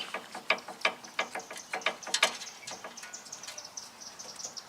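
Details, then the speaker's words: 2018 Jeep Wrangler Unlimited Sport front axle turned by hand: irregular sharp metallic clicks and ratcheting from a dry, failed outer axle universal joint; other side also failed, causing clunking while driving. "the universal. On the outside is dry. It's also failed on the other side, so it also needs universals."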